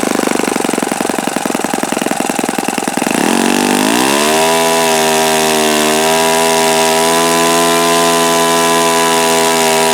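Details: Repaired OS FS-48 Surpass four-stroke glow engine (repaired blown-out crankcase) on test stand: popping rhythm climbs quickly to a strong, steady high-pitched buzz, no rattle or grinding, bearings sound fine; mixture richened after knocking, high RPM reached. Normal run.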